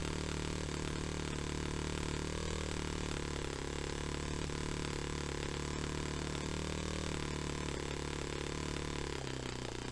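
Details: Restored Saito FA-45 Special model engine on a test stand, 10% nitro fuel, running a fairly rich tune for a clean low-to-high transition. A steady buzzing run falters and drops away as the throttle opens fully, cutting out. Owner unsure whether it is too rich.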